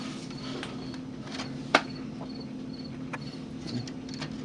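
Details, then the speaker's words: Dell Optiplex 745 rescued from a rainstorm, case fan after cleaning and oiling (it had been slow to reach speed): a quiet steady low hum with no scraping or wobble, a few handling clicks; the fan runs smoothly. "And as you can hear, I also did oil up the fan, because the fan was kind of iffy. Didn't seem to want to get to the right speed right away."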